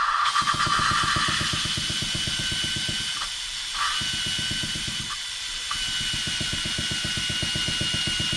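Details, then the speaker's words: Honda D16 VTEC head, lapping valves by hand with compound: gritty rasping scrape pulsing about four times a second as the valve is spun back and forth; compound cutting the seat. "Put a little pressure on it. You can hear it cutting every little bit."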